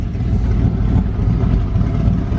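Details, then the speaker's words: $500 Mustang drift kart with a V8 on its first road test, running much better; low throaty burble rising and falling under light throttle with no stumble or miss, the engine sounds clean. "she's running much better I'll tell you what it definitely mean it plugs no matter what but"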